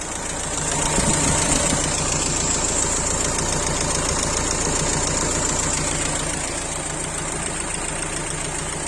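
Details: Renault Laguna 1.9 dCi diesel idling with steady clatter and an odd whooshing, rasping intake noise; the engine is noisy when driving and shakes at idle when cold; rough idle, cause unclear.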